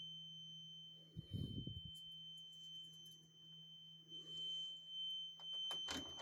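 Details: Carbon monoxide alarm going off around 1:45 am indoors, traced to the back hallway; a thin, steady high-pitched tone holds unbroken under shuffling and handling noise, later found to be a small cellphone-size box on the floor.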